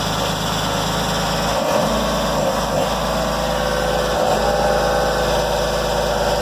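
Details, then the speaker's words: 2004 Jeep Grand Cherokee with 4.0 inline-six, junk vehicle first start: rough, uneven idle with irregular ticking and lumpy dips about three times a second; sounds unhealthy, suspected no oil, though the dipstick shows black oil at the full mark. "so to me sounds like it's got no oil not sound very good you don't sound too healthy boys"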